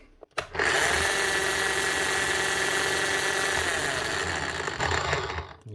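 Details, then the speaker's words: Bosch GSH11E demolition hammer, damaged from being assembled wrong, tested after reassembly: steady high motor drone with uneven, coarse hammering around three blows a second; runs and hammers but too damaged, armature needs replacing. "it doesn't sound great definitely [Music] [Music] [Applause] not that was a waste of time she's running and she'll hammer but that is just too much damage it's just not worth doing much more than that"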